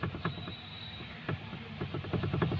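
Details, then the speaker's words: Maruti Suzuki Alto: irregular hollow knocks as the steering wheel is rocked back and forth, with the three 12 mm steering box bolts already checked tight; a loose steering box damper is suspected, which would also knock over potholes. "ഒരു sound കേൾക്കുന്നുണ്ട്. അപ്പോൾ ഇനി നമുക്ക് താഴെ പോയിട്ട് ആ sound എവിടെ നിന്നാണ് കേൾക്കുന്നത് നോക്കണം. കാരണം ഡാമ്പർ ലൂസ് ആണെന്നുണ്ടെങ്കിൽ, സ്റ്റിയറിംഗ് ബോക്സിന് ഡാമ്പർ ലൂസ് ആണെന്നുണ്ടെങ്കിൽ ആ സൗണ്ട് നമുക്ക് ഇതേ സൗണ്ട് തന്നെ കേൾക്കും, കട്ടറിൽ പോകുമ്പോൾ അടിക്കുകയും ചെയ്യും."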